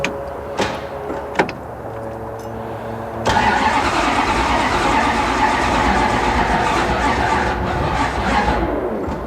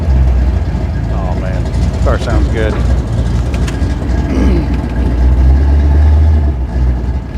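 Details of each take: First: 1969 Plymouth Road Runner V8 during an engine-swap project: a few seconds of sluggish, uneven cranking, then it catches and runs well. Slow cranking; a weak battery is suspected, not confirmed. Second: Car from 1969 Plymouth Road Runner/Barracuda engine-swap project, possibly weak battery, started right up: deep, even V8 burble, steady low rumble, no ticking or misses; normal idle.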